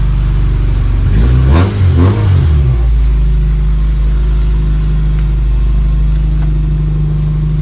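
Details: Honda CRX with LS/VTEC swap, cheap aftermarket mid-pipe, muffler now fully welded on: smooth rev swells pulling off, then a steady deep drone with no rasp or buzz; the exhaust sounds healthy.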